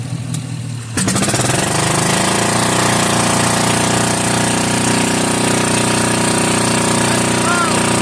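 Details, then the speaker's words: Old single-cylinder Onan 3.0AJ-1R RV generator on a long-stored battery jumped from a truck, fuel line primed: catches after a second, then loud, steady, even unmuffled firing with no misses; normal healthy running. "It runs and it seems to be very healthy."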